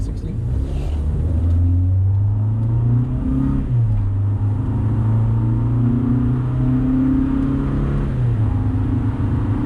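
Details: 2000 Honda Civic, cat removed, eBay header with test pipe, OE piping, OE muffler and new 18-inch resonator correctly installed, hard 0-60 acceleration: deep smooth note rising and falling each gear, no rasp above 2,800 rpm; healthy.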